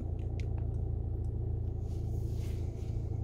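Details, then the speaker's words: Skoda Kodiaq after its failed start-stop button was replaced: the engine fires up with no starter grind and settles into a steady, even, smooth idle with no misses or knocks; a normal engine start. "теперь все работает хорошо вот так должна заводиться машина"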